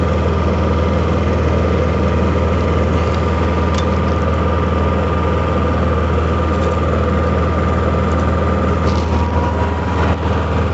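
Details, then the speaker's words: Honda EU6500 inverter generator after carburetor cleaning and draining of 1.5-year-old bad gas: steady, even, very quiet low hum with no hunting or misfire, quieter than an ultrasonic cleaner. Normal idle. "just listen how quiet that is like you can barely hear it it's quieter than my ultrasonic cleaner but there she goes guys"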